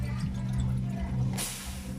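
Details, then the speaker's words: Polytron one-door refrigerator not cooling though light on and compressor running hot, during flushing of the evaporator: steady low hum with watery gurgle and brief hiss of flow; liquid still inside, keep flushing until gurgle stops. "Nah teman-teman bisa dengarkan untuk di bagian evaporator ini pasti ada suara gemericik"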